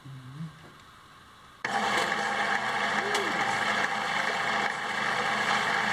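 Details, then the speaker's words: Homemade bandsaw built from a scrapped portable lumber-mill saw, thick-walled bearing, running on a small battery: spins up to a steady, even whir with light blade hiss, no knocks or rattles; runs smoothly. "of course this runs on a much higher voltage than that little battery so it'll have a lot more power but even on that man that thing runs great"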